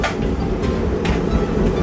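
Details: Candy CS C8LF-80 tumble dryer, full of clothes, after resetting the fuse and drawing about 2000 W: steady low drum rumble with soft swishing thumps about twice a second, running normally.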